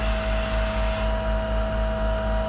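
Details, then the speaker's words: Unloading a 30ft powder tanker (isoveyor) with the truck compressor, pressure building toward about 1.5 bar: steady hiss over the compressor's low drone as air leaks from a joint in the discharge pipe, showing as back pressure; not critical. "back pressure in the system started to show because there's leaking out of the join in the pipe so we're trying to get it into a better position so it's not making so much noise"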